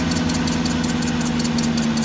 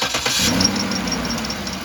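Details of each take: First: 2007 Cadillac DTS at cold idle after water pump replacement and a Dex-Cool refill. A thin, constant scrape rides above the engine hum, coming from the power steering pump pulley; it goes away once the pulley warms up. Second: 2007 Cadillac DTS starting after water pump replacement, checked for a squeak from a bent guard. It cranks, catches and settles into an even idle with no squeal or chirp; no squeak; normal.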